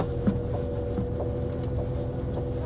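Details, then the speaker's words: 2003 Mini Cooper petrol idling evenly, faint steady whir over low rumble attributed to the clutch release bearing, judged not a bad noise. "hear the release bearing but it's not not a bad noise right"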